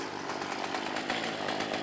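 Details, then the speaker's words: Poulan chainsaw bought on eBay, fitted with a new bar and still breaking-in chain, warm: a buzzy two-stroke idle with uneven, stumbling beats and surging; idle being turned up. "I'm gonna actually turning the idle up a little bit because after warming it up and I guess after the Jets um sitting at idle"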